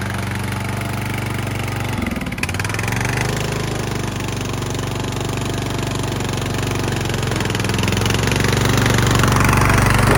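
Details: Craftsman LT1000 yard tractor, long unused, after new battery, tune-up, fuel lines, oil and filter change, new spark plug, being ridden: steady, even single-cylinder putter about four beats a second, rising slightly under load; runs fine.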